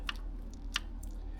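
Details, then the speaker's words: Engine from a twenty-something-year-old car that broke a rod, torn down: three light, sharp metallic clicks as a connecting rod is rocked by hand, showing slop in a worn big end bearing; cylinders 1 and 6 are usually first to go. "That is slop in the bearing. Now, 1 and 6 at either end are always the first to go."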